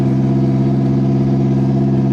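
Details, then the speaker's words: Honda del Sol driven for the first time in 4 years after sitting unrunning. Steady idle with a heavy, loud low drone and rasp; exhaust far louder and rougher than it should be, the worst sounding exhaust, though shifting and transmission work. "it's definitely nostalgic to sit in here but that is the worst sounding exhaust in the history of exhaust"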